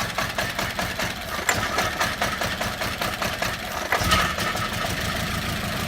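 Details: VW Beetle 2.0 petrol with a misfire, running on as few as one cylinder intermittently: uneven, stumbling idle with irregular dips and shakes instead of a smooth even beat.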